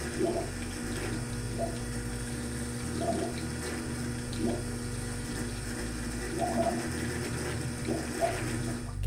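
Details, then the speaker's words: Dankoff solar water pump laboring and surging with gurgling bursts about every second and a half: cavitation, commonly from an unsubmerged input hose or a loose filter housing letting air in. "a pump that is laboring and surging or a filter housing that is having air introduced into it is most likely cavitating shown here"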